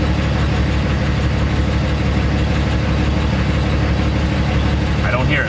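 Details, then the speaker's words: Truck diesel idling smooth at about 800 rpm after repair and cleared engine codes, deep even rumble without knock or exhaust rasp; normal idle. "all codes are cleared and the engine is running smooth I have it at 800 800 RPM right now let's bump it up to a thousand let's listen"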